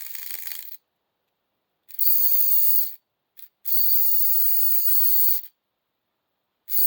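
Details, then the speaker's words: H.O. slot car rear end (440 wide pan, gravity box, rear spacers, narrowed rear end) tested on 9 volts: thin high-pitched whine in bursts as the motor spins; owner suspects crown gear set too tight or spinning, freshly sanded plastic, lots of heat. "It seems like my crown is. Maybe I got it too tight. Maybe I oiled it, man."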